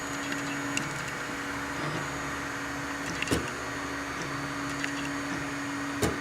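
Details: Anycubic i3 Mega: sharp extruder clicks at irregular intervals a few seconds apart over steady motor hum; suspected slicer settings, unlevel heat bed, old PLA, or faulty extruder, not confirmed.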